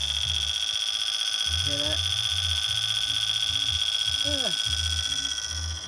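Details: Old desktop computer first powered up in years: shrill, unbroken high-pitched tone from the moment it's switched on, holding steady; it is hard to turn off and the cause of the alarm is unknown.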